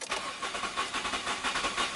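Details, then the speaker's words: 2002 Nissan Maxima with misfires, cranking with throttle floored: uneven, lumpy starter pulses, some strokes weaker than others; poor compression suspected and a relative compression test planned. "that sounds terrible like I wonder if the original engine sounded that bad probably not it didn't"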